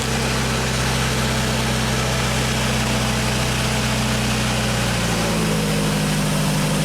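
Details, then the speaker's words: 1995 Genie Z45 running from platform controls after a wiring fix, fuel pump holding 13.2 V; even, steady idle with one small pitch drop, no stumbling, so the stall problem is fixed without parts. "That fuel pump is getting nice, healthy voltage when it's supposed to."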